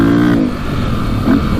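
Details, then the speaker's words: 2002 KTM 400 EXC (sold as 450) revved out in neutral: revs climb then cut out and stutter in quick surges near the rev limiter instead of pulling cleanly; plug black, running rich. "sounds like it's revving out all the way in neutral you can hear it kind of break up there but uh we'll go test drive it and see what it sounds like see how it like kind of hits hits the Rev lemoner"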